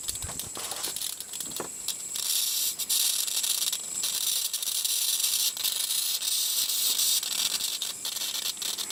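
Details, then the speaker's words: Flyback driven at low power through its internal primary by a big audio amplifier with treble and bass tones: sharp sizzling hiss with crackly bursts swelling and fading as drive changes; flyback works, strong healthy arc. "well now this flyback works all right"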